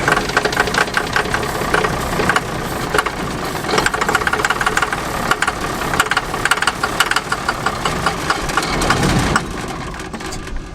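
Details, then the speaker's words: Abandoned John Deere 6600 combine, cranking on ether: steady starter cranking with rapid ticking and a few weak puffs, never picks up. "Come on, the old bastard. It's almost like it was trying a little bit, maybe? Almost. It didn't seem like it was running on just ether."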